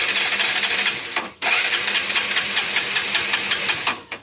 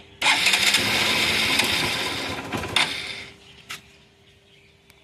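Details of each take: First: Motorcycle that won't start, with a good spark confirmed: dry, fast crackling ticks as the engine spins over on the starter and never catches; the electrics are ruled out, and an oil-fouled or carbon-fouled spark plug is suspected. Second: Hero Passion Plus BS6 motorcycle with an oil leak that caused a no-start, after a home fix using the onboard tool kit: the engine catches after a brief stumble and cut-out, then settles into a steady, even idle; now starts normally.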